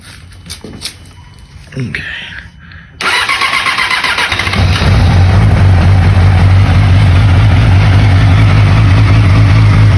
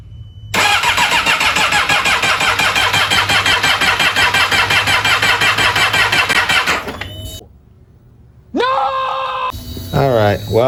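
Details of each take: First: 2008 Yamaha R6 auction bike, battery just charged: brief starter whir, then the inline-four catches and settles into a steady, even idle with a smooth drone; starts and runs normally. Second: 2008 Yamaha R6 auction bike with mostly cosmetic damage: fast steady starter whir for about six seconds with no firing or catch; cranks but will not start, cause not confirmed.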